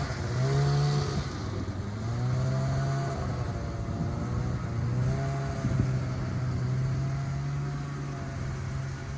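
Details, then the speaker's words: Polaris Widetrack 500 two-stroke snowmobile, unstarted for about 6 months, started after checking plugs, priming fuel and boosting the dead battery; runs steadily with revs rising and falling smoothly, no knocks or misfires. Normal running. "I'm just blown away that it started so fast we're going to go give it a test"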